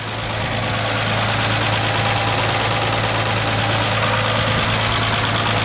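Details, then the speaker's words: 1948 Ford F1 flathead six, converted to 12-volt with alternator, idling after a drive; even idle with light quick ticking about three times a second from solid lifters, healthy engine. "That's just a healthy flathead 6 right there. You can hear those solid lifters tapping away."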